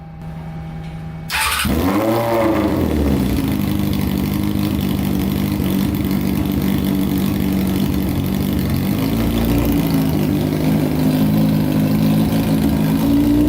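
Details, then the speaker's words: Honda CBR600-engined go-kart on gravity-fed tank, all cylinders seemingly now running: catches after short crank, fast steady idle staying high; idle adjustment suspected set too high. "man sounds pretty good i wonder why the idle's so high probably because i wonder if that's adjusted too high right there"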